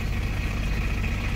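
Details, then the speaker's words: Isuzu Panther diesel at idle after the alternator charging is switched off: the engine lightens, alternator not charging. An even, steady low rumble with no knocks or squeals, a normal idle. "Tuh, saya matikan kontaknya. Mesin kembali ringan, artinya alternator tidak bekerja."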